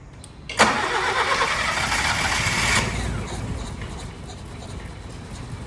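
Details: Honda Civic 1.4 iES (D14) after an engine rebuild for oil burning, first start: cranks and catches quickly, then settles to an even, smooth idle with no knocks or misses; smoke is diesel residue from parts washing.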